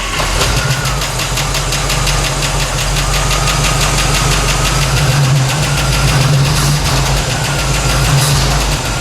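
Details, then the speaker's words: 1964 Chevy C10 with a tired 350 small-block V8, after installing new true dual exhaust on ram's horn manifolds: a lumpy V8 idle with a fast, sharp ticking at about 3–4 per second. The fuel pump is loud. "wow that fuel pump's loud probably couldn't hear that over the exhaust before"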